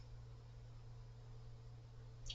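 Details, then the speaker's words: Mobius OC 120 PC fan at maximum speed, at times blowing into the microphone: a quiet, steady low hum with a faint higher tone on top. Extra harmonic-resonance noise is heard, cause unclear, after possible bearing rubbing at low speed. "oh there's a Harmon residence there's also another noise and"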